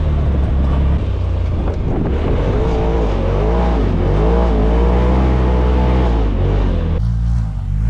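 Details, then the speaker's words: New RZR side-by-side on its first test ride on a wet track, pulling under load: rough engine drone with uneven low thrashing and an odd noise over it; clutch noise or belt slip suspected, not confirmed. "Whoa. What is that? Yeah, that's not a fun noise. Yeah, we don't I don't like that. That sounds like some clutch noise. A belt. Might be just a little belt slip or something going on there."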